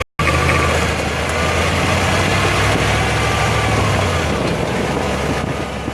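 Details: 2005 Jeep Grand Cherokee WK 5.7, 136k miles, accelerating uphill: a steady low drone under load that drops away partway through, over engine and road noise. Differential or driveline noise is suspected, not confirmed. In stereo, right channel is toward the axle and left toward the driveshaft.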